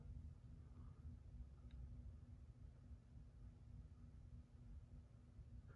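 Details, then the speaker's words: 42-inch Hampton Bay Rockport three-speed reversible ceiling fan on low: very quiet low whoosh with a faint steady tone, no real motor hum, slight vibration and a barely audible bearing noise; running normally. "actually very quiet it doesn't really hum it does have a slight vibration to it though little very very very slight bearing noise but you can barely even hear it"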